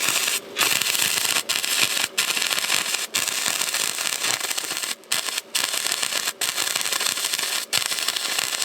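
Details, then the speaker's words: Harbor Freight Titanium 125 flux-core welder, welding a thin-metal smokestack back onto the muffler of a John Deere 210LE loader: harsh crackle breaking into short gaps, settings not quite right; erratic sputtering weld arc. "I don't know, I almost got the settings right. They're still not quite right."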